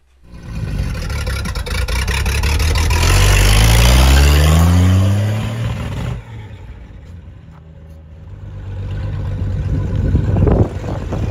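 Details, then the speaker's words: 1936 Bentley drop head coupe, right-hand drive, about 15,000-16,000 original miles, after 50 years of storage, SU carburetors cleaned, fuel tank not yet: revs up smoothly, settles to calm steady idle, no smoke, no knocks; runs healthy. "when it started up for the first time in 50 years, it doesn't smoke, it sounds good."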